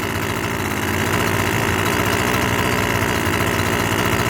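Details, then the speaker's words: Husqvarna string trimmer from a yard sale, cold, first pull-start on full choke then moved to half choke: small two-stroke buzzing at a fast steady idle with a slight uneven flutter. Normal idle. "Let's give it a pull, see what happens. Oh, that was good. On weed eaters, you pull it when you hear it, vroom, try to start, put it and then you put it on half choke. Hey!"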